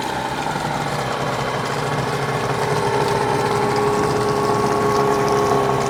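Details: Hangkai 18 hp two-stroke outboard, new and unrun after a year parked, at fast idle during 10-minute break-in, run in a trash can with no load, extra oil in gas for heavy smoke; busy buzzy idle with faint whine slowly rising in pitch, smooth and steady.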